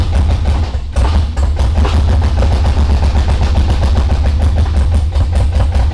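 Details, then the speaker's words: LS V8 swapped into an R32 GTR, new Holley harness and spark plugs, injectors that sat unused for a while; loud lumpy idle with uneven stumbling beats as cylinders drop out; misfire, running on few cylinders. "it starts it runs but it does not sound like but it doesn't sound like how it's supposed to sound it's not firing"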